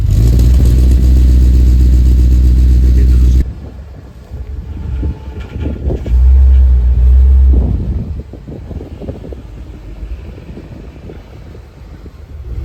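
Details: BMW E34 540i V8, first start after two years, after new flywheel and clutch: deep, steady idle rumble with even beat, no misfires or knocks, before noise drops away; healthy.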